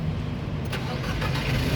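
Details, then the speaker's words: 2011 Nissan Grand Livina 1.8 Ultimate manual, about 47,000 km, started in neutral after oil and coolant checks: short crank, catches straight away into an even idle, no stumbling or slow cranking; normal start. "nah pada saat kita Nyalakan mobil pastikan dia nyalanya langsung jreng karena apa kalau dia nyalanya kecil nah kalau dia nyalanya tersendat Berarti ada kemungkinan di akinya sudah soak atau di dinamo starternya bermasalah"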